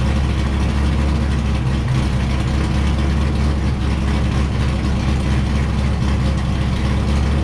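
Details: Wrecked C5 Corvette Z06 run in gear with clutch out to check transmission and diff; steady low drone, no grinding, whine or clunking: gearbox and diff healthy.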